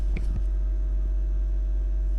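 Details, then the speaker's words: Engel 39-litre fridge-freezer combi MTV45FCP, about a month old, running on over 12.5 volts: low, steady compressor hum with a faint constant tone, no rattles or surges, running normally. "But I haven't found anything with it, but you can hear it humming."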